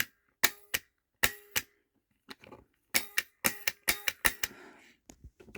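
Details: Merlin Gerin/Schneider TL 16A Multi 9 impulse relay (ref. 15432) operated by a push button pressed repeatedly: crisp, sharp clicks, mostly in quick pairs, in a quiet room. Normal clean switching.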